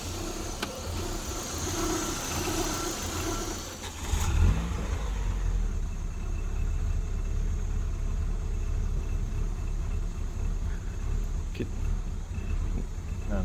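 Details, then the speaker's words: 1996 Ford Mondeo, 1.6 L gasoline, manual: engine catches and settles to an idle that swells and dips instead of holding steady, though it sounds fine when revved. The idle speed is hunting. "so when you rev it up it sounds good when it's at idle it doesn't sound good"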